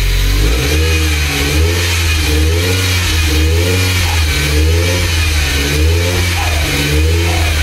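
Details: Nissan 200SX first start after engine rebuild: engine runs smoothly and revs up and back down repeatedly, picking up cleanly each time, no knocking, rattling or squealing; normal running and revving.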